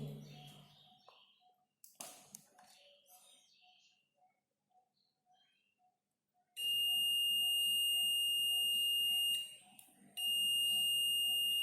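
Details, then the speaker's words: Multimeter continuity test across a wire: clear high beep for about three seconds, drops out, returns; continuity confirmed, wire intact with no cut. "This is the continuity. That means this wire is correct. There is no cut in between this wire. This is the continuity test."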